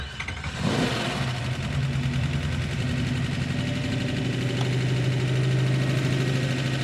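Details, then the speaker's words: Hemi-swapped AMC Gremlin, hot engine, idling around 2,000 rpm with no throttle return spring and a massive vacuum leak: quick, light ticking over the rumble; noisy lifter that began once hot after installation and hasn't quieted. "it has got a lifter that is making a ton of noise unfortunately it's started doing that as soon as I put it in the car and it hasn't healed"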